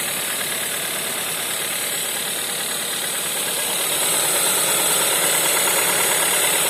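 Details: VW 1.4 TSI CAVD engine on cold start: fast even tapping knock, about three per second, over a cold idle; cause not determined.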